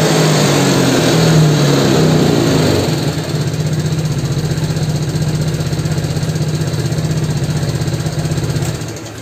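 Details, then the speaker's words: Yamaha Mio scooter after fitting the air filter: single quick revs drop to a steady, even idle without hunting; rpm rise from low to mid to high is now normal and smooth, though timing chain may be worn and compression weak with white exhaust smoke. "Oke kalau untuk abang untuk kenaikan RPM dari rendah Tengah atas ini sudah mulai normal Ya udah seirama"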